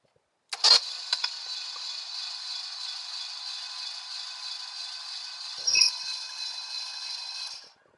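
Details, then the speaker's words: 1967 Lincoln engine during rebuild, spark plugs removed, freshly filled with oil and coolant, cranked by remote starter: smooth, even whir for about seven seconds with no clunks or scraping; turns over freely, distributor rotor turning so the oil pump is working. "all right that sounded real good I didn't hear any weird noises the rotor and the distributor was turning which means the oil pump is pumping"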